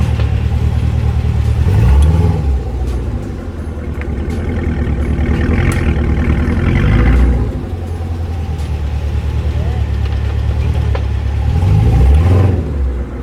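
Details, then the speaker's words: Fifth-generation Chevrolet Camaro, rear axle/wheel area: low engine rumble pulling away with multiple sharp faint clicks under hard acceleration, worsening over two to three months; owner suspects parts separating under pressure and popping, rotors and axle assembly to be inspected. "but as you guys heard there's not just one click it's multiple clicks if i accelerate hard enough"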